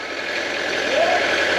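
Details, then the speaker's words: Peugeot P4 (Mercedes G Wagon-based, ex-French army) 2.5 Peugeot diesel under restoration, revved while exhaust is checked: pitch climbs smoothly, no rattles or stumbles, exhaust clean as a whistle; normal healthy revving. "right perfect so there we go it shows you how good these little 2.5 Perse engines really are"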